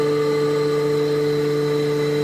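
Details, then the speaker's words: Hydrovane workshop compressor building pressure after draining: smooth, steady, quiet hum of constant pitch with no knocks or rattles, quiet enough to sit beside; normal healthy running. "but you can hear how quiet it is. I mean, you could sit at a desk at the side of this."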